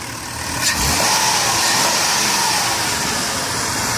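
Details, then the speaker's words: 2002 Dodge Grand Caravan SE, 3.3 V6, 148K miles, blipped under the hood: the rev climbs quickly and holds smooth with no misses or rattles. It has a new intake gasket, valve cover gaskets, spark plugs and battery; the engine responds well. "underneath the hood it has a 3.3 v6 engine it idles smooth it sounds good"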